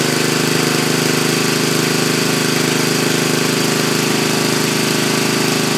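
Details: Racing tractor's small single-cylinder engine running almost on pure Seafoam (added to crankcase, oil and intake): steady, even thumping at about 220 beats a minute, no misses or stumbles; runs okay.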